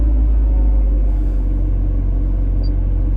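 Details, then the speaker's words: Wrecked 25-year-old Honda: deep, steady rumble with even beat and no knocks or ticks; smooth healthy idle with 63 psi oil pressure while warming up. "Let it idle a minute, get some oil going. Got 60 3 pounds of oil pressure, which is awesome."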